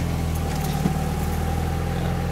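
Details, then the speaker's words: 1991 Mazda Miata MX5 after replacing the faulty temperature sensor (nine-flash code, throttle hesitation) and clearing codes: steady even low hum, no misses or stumbles, smooth unchanging beat; healthy cold idle at correct speed. "now she's cold right now so she's idling just where she should be and uh let it warm up check for leaks and it should be"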